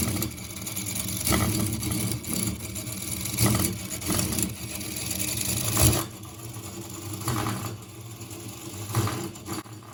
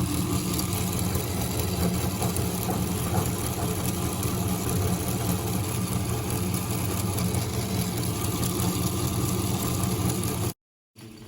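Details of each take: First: Engine running continuously since 6 am, heard near 23:00: it thumps unevenly with beats bunching and dropping out in a limping rhythm; the fault is in the gears, not the piston. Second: Engine on an endurance test at 3 pm, after running since 6 am: a steady low drone with an even beat of about four pulses per second and no knocks. It runs normally with no problem.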